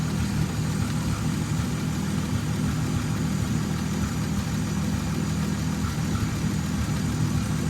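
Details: 1929 Chrysler Type 66 Speedster near end of rebuild, running after teething problems: steady, even low idle with smooth beat and no knocks or ticks; engine running nice, normal idle.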